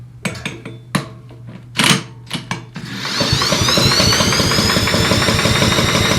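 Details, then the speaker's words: Briggs & Stratton 9.5 hp engine on a Billy Goat leaf blower, spark plug out for compression test; handling clanks then steady fast even starter whir; reads about 55–60 psi, low compression while cranking. "About the same as the other motor, 55, maybe 60 pounds."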